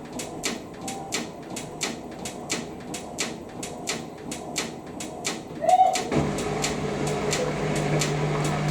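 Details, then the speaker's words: Hotpoint WMXTF 942 washing machine, Cottons 90°C boil wash with Time Saver, towels loaded, spin: drum ticks round unevenly, motor hums up to spin, then stops repeatedly; over-sensitive out-of-balance sensor aborting spins. "oh well I forgot how sensitive these bloody Things Are high speed distribute [Music] angle all right we have the wrong numbers what oh stops and thumbs up to every burst I think okay fair enough never seen one of these do the final spin so it'd be inter"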